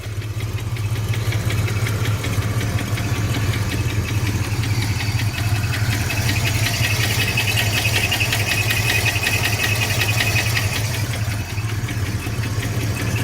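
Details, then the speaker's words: V8 in a Fox body Mustang convertible (LX converted to GT), sat six years: steady idle with a regular internal knock, louder inside the car and gone with rpm (about 1,500); oil pressure good, cause not yet found. "okay sounds definitely worse inside when I give it rpm he goes away"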